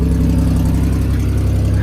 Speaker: got a tad bit of an exhaust leak not the worst though not like it doesn't have a catalytic converter or something